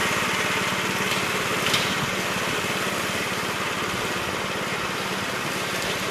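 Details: 1969 Gravely C8 tractor, morning run after no-high-range repair: even, quick single-cylinder putter at a steady pace, no skips or knocks. Runs smooth and healthy.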